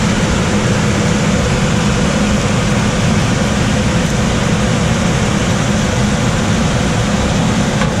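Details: Coleman DGAX056BDTA manufactured-home furnace with constant-torque ECM blower, 24-volt motor taps set to high: constant heavy air rush with a low drone; excessive blower noise, fixed by lowering the blower speed tap.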